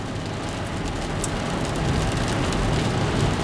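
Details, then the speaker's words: Car on a test drive after both front wheel hubs were replaced to cure a front-end noise: even road and tyre rush that builds gently with speed, with no growl or hum from the front wheels; the noise is gone. "And the noise is gone. Do not hear it anymore. Makes me feel much better."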